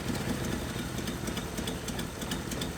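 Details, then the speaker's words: 1981 Nissan 280ZX six-cylinder, sat about 15 years, idling while a loose wire is pulled from a broken injector connector: rough, lopsided idle with stumbling exhaust pulses, smoother when reconnected; misfire from unplugged injector. "the idle changes when i shove this wire back into the connector that injector starts firing right i'll take it back out"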